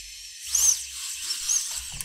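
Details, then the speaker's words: FPV drone brushless motors, no props, after changing the D-term setting in tuning software: short, clean high-pitched whirs rising and falling smoothly with throttle, no yaw twitch or stutter; normal motor run. "this is how a motor supposed to sound like you see that I look at this that's how it's supposed to sound like it's not twitching anymore when I do anything"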